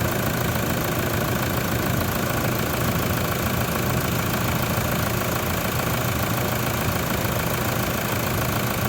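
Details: Toyota Prado diesel idling after an alternator replacement, with a voltage booster diode fitted: steady, even light clatter at a constant level, no misses or odd knocks; charging at 14.52 V and slowly rising.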